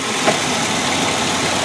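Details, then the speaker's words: 2003 Ford Explorer Limited, 4.0 L six-cylinder at idle: steady, even idle with no knocks or ticks over hissy background; smooth, healthy engine. "and of course this has the ever popular but incredibly long lasting and great running 4 L six-cylinder engine on this baby you can see she sounds"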